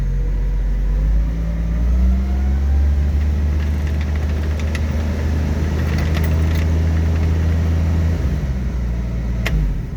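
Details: 1967 Chevy van started after ignition work following lost keys: engine fires and settles into a steady, even low rumble with no knocks or misses, faint key jingle in the background; normal running.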